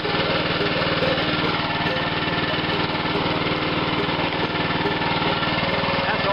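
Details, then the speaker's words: Abandoned lawn mower, long sitting, cylinder lubricated with ATF through plug hole, weak cranking on battery charger: small single-cylinder engine chugging at a fairly even pace with slight unevenness; brought back to life and running. "Burning off the exhaust pipe that I filled on there a while ago. Called my neighbor, let him hear that thing run."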